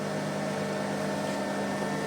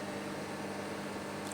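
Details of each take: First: Audio amplifier on a 20 A transformer, heard at the speaker with the ground wire to the transformer center tap disconnected: constant steady low mains hum; reconnecting the wire removes it. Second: Amplifier with a 20-amp transformer: a steady soft hiss and faint low tone underneath, with no loud mains hum once the transformer center tap (CT) wire is reconnected.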